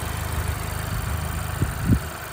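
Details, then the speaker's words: Honda Civic Type R FK8, K20C1 engine at 117,000 km, after head gasket replacement using ARP head studs since the factory bolts stretch; after 30 km, smooth even idle with steady firing, running silky compared with before. "To finał pracy, przejechane 30 km. Pięknie silnik pracuje."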